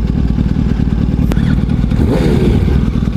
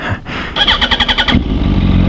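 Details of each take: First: Motorcycle with a Power Commander fitted, not running right: idle speed surges and sags with inconsistent rpm and has to be held at high rpm. Owners unsure whether it needs troubleshooting or reprogramming; cause unknown. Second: Motorcycle with a new Bike Master battery: about eight quick starter cranks in under a second, then it catches at once and settles into a steady idle. A clean, healthy start.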